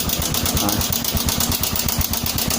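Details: Honda Supra 125 (also Karisma discussed), rough engine noise at idle: quick rough clatter about eight taps a second over the thumping; suspected loose cam chain or tensioner, to be checked by disassembly.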